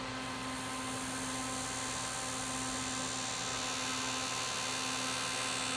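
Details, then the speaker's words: DRSSTC Tesla coil on a roughly 322 V DC bus, driving a steel coffee-can dummy load in place of the secondary coil, with the interrupter pulse width gradually increased: a steady bee-like buzz over a firm low hum, normal self-oscillation. "now you can hear the system itself oscillating and you can hear that classic bee buzzing salmon of the coffee can"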